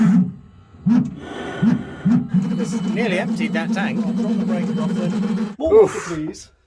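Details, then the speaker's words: Narrowboat diesel heater hot water system, header tank just filled: warbling, gurgling hum surging unevenly; circulation pump believed to be pumping trapped air in the coolant loop. "there's still air in the system and it doesn't like the air and that noise that sounds a bit crazy is the pump pumping air"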